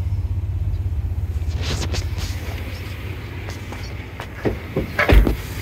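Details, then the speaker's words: 2002 GMC Sonoma, 4.3 Vortec, parked since 2017, running after a crank-no-start repair (chewed wires, old fuel, new fuel pump and spider injectors): a low even rumble with a steady beat and no knocks or misses. "all right here it is it runs that was a pain in the butt but it runs well it runs actually runs pretty [Music] smooth"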